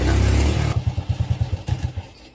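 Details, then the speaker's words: Fuel-injected engine that won't hold low rpm, before injector removal and cleaning: after a brief rev it drops into uneven, spaced-out firing pulses that fade and stumble; rough low-rpm running with stalling tendency, injector clog suspected, not confirmed. "ครับตัวนี้จะติดไม่ค่อยขึ้นนะครับตอนรอบต่ำนะครับเป็นลักษณะ"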